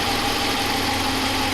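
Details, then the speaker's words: Stock, unmodified 2015 Ram 1500 5.7L Hemi V8, no Hemi tick or lifter failure: smooth, even note with no ticking, knocking or rattles over the steady run; normal, healthy engine. "that's the one that is that's that's what they're doing it's not a big deal that's a normal sound of operation"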